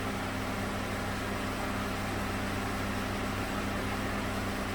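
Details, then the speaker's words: 2008 Honda CR-V after AC compressor clutch replacement, about 68°F shop: steady whooshing radiator fan cycling on and off with the compressor over a low even hum, no rattles; vents blowing cold, AC working normally. "you can hear the radiator cooling fan cycling on and off with the ac compressor it's blowing cold air out of the vents"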